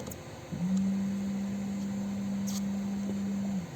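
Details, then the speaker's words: In-tank electric fuel pump heard through the open gas cap: a steady low buzzing hum for about three seconds; the pump runs, but the gauge and Schrader valve show no fuel pressure; cause not confirmed. "to do another test to just to put it right next to where the pump is so you can hear that buzzing sound"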